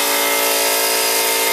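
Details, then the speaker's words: Harbor Freight 125 psi compressor, discontinued model, on two parallel run capacitors replacing 140MFD original: loud, steady mechanical drone with dense buzzing tone, no knocks or stumbles; pumping normally toward 125 psi cutoff, naturally noisy. "these old Harbor Freights, they're a noisy son of a gun."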